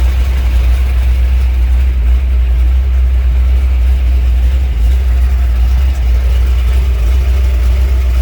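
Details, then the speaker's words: 1967 Ford F100 shortbed, 429 big-block V8, start attempt on a jump box with a junk carburetor: idles right off the bat with a deep, steady burble, no misses or knocks; normal idle. "It idled right off the bat"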